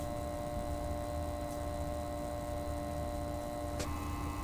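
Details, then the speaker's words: Thermalright Frozen Prism 240mm AIO cooler pump at 100% with cover on, microphone about 6 inches away: constant droning hum with several fixed, unwavering pitches, no knocking; loud pump noise at full speed. "This is the pump running at 100% with the cover"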